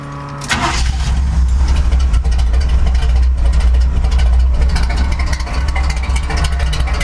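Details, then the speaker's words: Chevrolet C/10 truck that kept breaking down, started right after the main fuel line fitting was reseated and pressed in: it catches quickly and settles into a strong, steady, deep idle with firm revs and no stumbling. Fault fixed, now running normally. "Oh wow. Listen to that difference. That is so much different."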